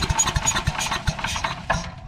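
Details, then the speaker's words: Craftsman 8.5hp chipper/shredder model 247.775880, sat 10–15 years, no fuel, starting fluid sprayed in intake; pull-start gives irregular sharp pops and short bursts, never catching into steady run; fires only on starting fluid. "I heard it I heard it starting to go already I've got absolutely no fuel in there but just off the starting fluid I can tell it wants to start"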